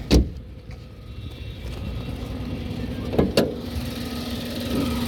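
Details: 2019 Tata Tiago XZ BS4 with a 1.2-litre three-cylinder Revotron petrol engine, recorded outside the car: a low, steady idle rumble with a few clunks from handling; a normal idle.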